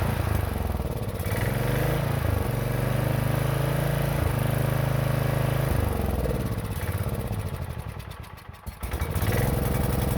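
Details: 1960s Generac generator not run in decades: steady low single-cylinder chug about 200 beats a minute, holding even with a brief dip; the old engine runs.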